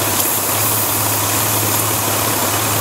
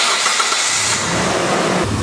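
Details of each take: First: Warm engine idling at about 750 rpm; a vacuum line is pulled to create a small leak: the idle drops and runs a little rough, with a steady airy hiss over an uneven idle. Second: Warm petrol car engine with no vacuum leaks catches quickly and settles into a smooth steady idle around 750 rpm, no hiss or hunting; normal before a test leak is created.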